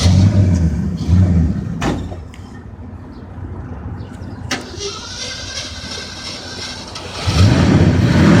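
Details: Old Ford truck: engine noise fades to a long uneven cranking lull before it finally catches and roars up; hard start, cause unclear.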